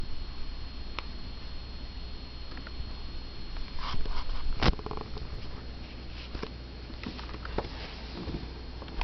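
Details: Dell Inspiron E1505 laptop gives a thin, steady high-pitched whine over a low hum when under load, whether on battery or plugged in.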